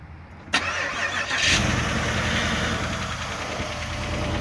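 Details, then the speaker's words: 2008 Pontiac Grand Prix GXP remote-started at -21°F, after balancer repair; quick crank, fires to a fast cold idle with light rapid top-end ticking, lifters clattering in the deep cold, plus a slight squeak blamed on an old belt. "listen to those lifters they are not happy at all"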